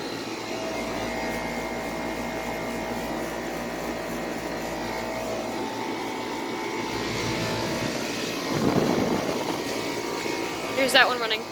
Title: 2000 Carrier WeatherMaker TECH2000 Air Conditioner Starting Up & Running